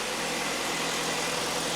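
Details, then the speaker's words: 2013 Jeep Patriot Limited 4WD after replacing the alternator, belt tensioner and idlers, camera at the belt and accessory section: quiet, even idle with a smooth steady hum and no chirp, squeal or bearing growl; failing alternator bearing was the cause. "So, it was the alternator all along. That is incredibly quiet compared to what it was."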